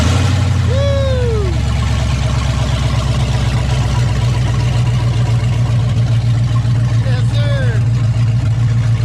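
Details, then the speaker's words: Freshly rebuilt Gen II Ford Coyote V8 swapped into a truck, first start with no exhaust fitted: loud deep sound settling into a steady even idle with no knocks or misses; healthy. "Got no exhaust, huh? Yeah, we don't need exhaust though. Hell, let's hear what this thing sounds like."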